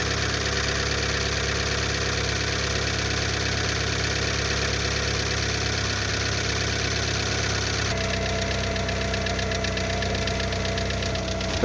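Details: Lada Largus 1.6 16-valve 129 engine, after hydraulic lifters were replaced, at cold-start idle: a quick, light ticking knock that follows engine speed, over a hum loud from a torn exhaust flex pipe; it fades as the engine warms; cold-start valvetrain knock.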